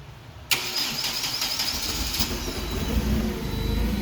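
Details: Clark forklift with Hyundai Theta 2.4 engine, rough running, hesitates under load and sometimes hard to start: the starter whirs with uneven chuffs for nearly two seconds before it catches and settles into a somewhat lumpy idle.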